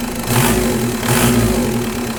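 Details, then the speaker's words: Mk1 VW with M-TDI swap and Bosch VE pump, after setting the fuel screw and refitting the lever stack: diesel turns over slow and a touch uneven, settling just under proper idle; idle slightly low. "Um, should be darn close to what I just had. it. But a little bit low for idle."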